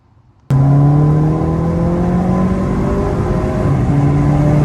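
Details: VW Passat with aftermarket cold air intake: loud droning low horn tone that drifts with revs over the engine; intake resonance, diverter valve change reportedly doesn't fix it, and reinstalling the stock intake removes it.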